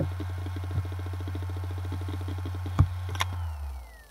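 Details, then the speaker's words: Acer Aspire hard drive: low hum with fast, even ticking and sharp clicks, then the spin sinks and fades, repeating about every 30 seconds; owner unsure if the cause is the drive, motherboard or EFI software. "as you can see every like 30 seconds the hard drive tries to go to sleep"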